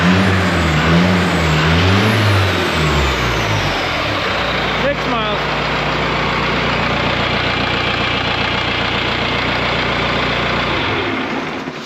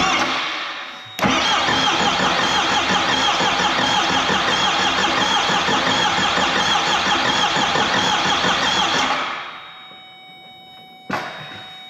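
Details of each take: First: 4BT Cummins diesel in a Ford Bronco, first start, cold weather: even diesel clatter at idle about 220 beats a minute with faint turbo whistle before shutdown; sounds healthy, normal. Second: Ford Bronco with 4BT Cummins first start, injector lines cracked to bleed: steady starter cranking about three turns a second for eight seconds with no firing, fuel only just squirting from injectors; air in fuel system.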